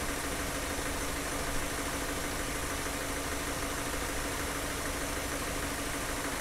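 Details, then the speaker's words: Car engine idling during fuel injector cleaning: a ticking "tuck tuck" heard at the start has gone; now a steady, even idle with no misses; the engine runs smooth and settled. "now you you notice the noise of the engine is getting smoother and smoother when we started we can hear the tuck tck tck tuck tuck but now it's a smooth"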